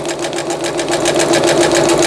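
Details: Singer Stylist 7258 sewing machine after repair of an E4 stop-mid-sewing error, a misaligned lower-shaft gear, a sensor fault and a slipped timing belt; straight stitching gives rapid, even ticking at about eight per second, steady and rising slightly in level. Normal.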